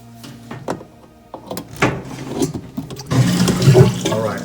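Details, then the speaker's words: Whirlpool front-loader washer with E03/F08 error codes, after unplugging to reset and plugging back in: low steady pump hum with water gurgling and splashing as the drum empties. Normal drain pump operation. "we have drain going"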